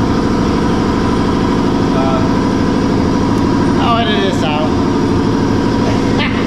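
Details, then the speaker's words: Brewery air compressor used to clean kegs, kicking on and off: loud steady mechanical drone with fast even pulsing and a few clanks, normal operation. "That noise you're hearing is from the compressor to clean the tanks to the kegerators. Not the kegerators, the kegs. So that's what the noise you're hearing is, just kicking on, kicking off."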